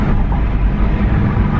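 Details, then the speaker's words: Saab 9-5, warmed up, after fitting a junkyard OEM DIC: a light throttle blip gives a smooth, even rumble that rises and settles cleanly with no misfire and no check engine light; normal rev. "just give it a little bit of gas see if it misfires that was seems to be running well"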